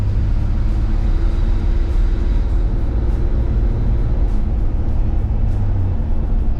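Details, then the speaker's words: Chevy S10 road test under acceleration after rocker arm adjustment for engine noise. Deep, even engine drone, smooth pull, no ticking; adjustment fixed the valvetrain noise. "give her a little acceleration test here wo but there's no noise that is awesome so our adjustment worked"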